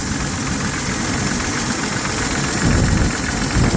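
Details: 1970 Chevy C10 with 250 inline-six, knocking since an oil change, heard through a mechanic's stethoscope at idle checking each cylinder's bearings: fast uneven tapping over steady idle; suspected lifters or rod bearings, source not pinned down.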